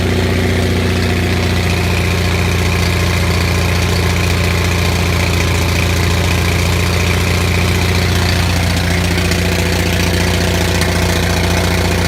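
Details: Onan 6500 (6.5 kW) gas commercial generator, missing its muffler, after cleaning severely fouled spark plugs that caused a bad misfire: steady, even drone with no misses or surging; now runs smoothly at constant speed.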